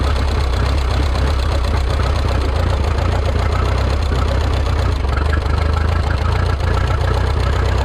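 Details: Rebuilt Minneapolis Moline 335 tractor engine, warm (gauge about 140°), tappet gaps readjusted warm: loud, busy idle with an uneven, stumbling beat and no crisp firing rhythm, not firing quite right; sounds like retarded ignition timing.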